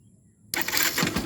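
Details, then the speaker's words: Yamaha SZ/FZ 150 motorcycle that would not electric-start because of a loose negative-wire connection at the terminal, no parts replaced: after the terminal is cleaned, a short crank catches at once into a ragged idle. This is a normal electric start. "So ibig sabihin mga bro, ano lang to, wala tayong papalitan na pyesa dito. Nag-loose, lang siya. Nag-loose connection, linisan po natin tong terminal."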